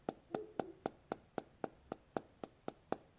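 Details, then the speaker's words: New Google Pixel 5 with a screen-gap issue, tapped near the top quarter of the screen: sharp, even taps about four a second, each with a brief hollow buzz. The rattle probably comes from the camera OIS, and the screen sounds hollow compared with a Pixel 4. "And then as I get closer up to the top, this top quarter, you can hear a rattle coming from the camera, probably from the OIS."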